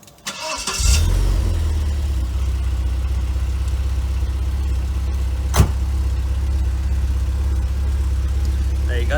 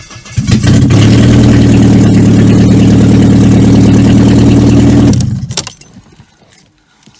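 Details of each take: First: 1995 Vauxhall Cavalier MK3 X20XEV, warm start after crankshaft position sensor replacement (it had intermittently stalled with a flashing ECU light): brief crank, fires at once, smooth even idle, no misses or knocks; healthy. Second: 1995 Vauxhall Cavalier MK3 X20XEV running with exhaust downpipe removed, old fire ring apparently leaking exhaust gases: very loud, raw, deep drumming at steady idle, no muffling at all.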